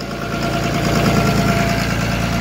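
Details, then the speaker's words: Diesel 24-valve with P-pump, pin-timed plus a couple of degrees after rework: steady, even diesel clatter at a fast idle, no misses; idle too high and needs adjustment, reportedly previously ran at 1000 rpm. "it definitely needs an idle adjustment but besides that he said it ran a thousand before"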